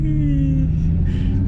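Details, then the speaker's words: Car with new headers rolling slowly after a rotor scraping its shield was fixed: deep, steady engine rumble with the earlier metallic brake/rotor grinding gone. "And the brake noise is gone, or the rotor noise. Look at, watch it. You're gonna hear it now."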